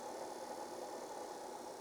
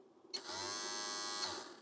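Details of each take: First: Apple Disk II floppy drive on a bench supply, during repair of its speed control, after the speed potentiometer was adjusted: a steady, even spindle hum with a faint constant tone near 800 Hz and no wobble. The tachometer reads 707–791 Hz, so speed control works. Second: Apple Disk II floppy drive under repair, its motor run on a bench power supply: a high, even whine spins up, holds about a second, then cuts off. The motor runs way too fast, a fault in the speed control.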